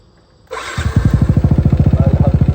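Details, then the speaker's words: Motorcycle after repair, started: cranks, catches and settles into an even, steady idle with no clatter or knock; it had arrived making a rattling "kerang-kerang" noise, now runs smooth with no problem. "Motor masih hidup, Okay, bunyi dia pun smooth ya. Tak ada masalah."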